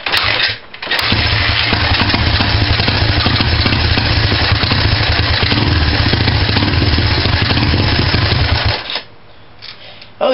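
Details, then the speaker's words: Honda dirt bike single-cylinder just started on starting fluid after carburetor cleaning and reinstall, no choke, runs slightly rich; uneven, lumpy beat rather than steady rhythm; carb may need more cleaning. "now that i got my bike started i'm pretty well sure that i cleaned it up good um it doesn't have a very good rhythm"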